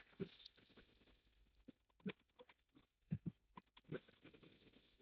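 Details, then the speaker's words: Mini Cooper S F55 (B48 engine), EVAP vent solenoid valve triggered by the technician: sharp, uneven clicking. Judged the likely cause of the reported engine tapping noise. "you can hear that clicking there that's highly ly the cause of our engine tapping noise kind of a frequent thing that we find on these cars"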